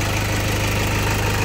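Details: 2008 Toyota Fortuner diesel, now running after only the pinched O-rings were replaced to cure the crank-no-start, instead of the pressure pump a shop blamed. Steady, even, deep smooth idle with no knocks or misses.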